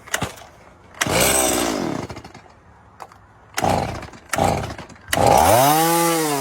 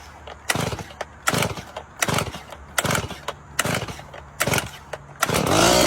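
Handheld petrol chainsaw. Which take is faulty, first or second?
second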